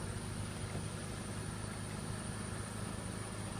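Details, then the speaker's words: 2000 BMW 528i E39 after fixing the cylinder 2 ignition coil (cylinder 2 misfire, P0340 code): smooth, even idle with a steady low drone and no stumble or skipped beats; all six cylinders firing, fixed. "yeah I fixed it coil number two perfect"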